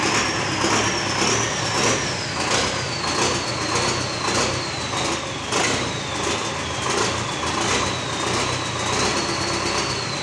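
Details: GAZ 3309 truck D-245 diesel starting after engine repair: runs evenly with a steady clatter and faint high whistle on top; no knocks or misses, sounds healthy.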